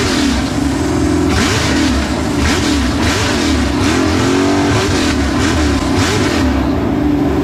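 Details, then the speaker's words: New LS 383 V8 in Deathwish on break-in oil, first fire-up: loud engine blipped up and down repeatedly with an unsteady note between revs. Rough running; "pig rich" and untuned, with the tune not remotely close. "I'd say she [Laughter] runs it's it is pig Rich Pig Rich two stroke"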